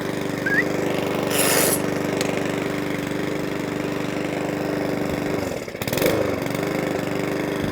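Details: Mountfield 164 self-propelled mower (same as 414) after carburettor fuel-leak repair, on a hot day: steady even beat with no hunting or surging, clean and smooth; normal running.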